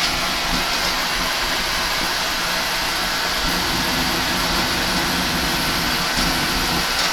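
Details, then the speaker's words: Oil boiler with Beckett oil burner, running continuously after filter, screen and nozzle service: constant, even roar, no surging or popping; clean firing, very low smoke, normal burner operation. "she's been running continuously nice and strong nice and clean she's getting a clean amount of fuel he was burning correctly providing no smoke very very low smoke"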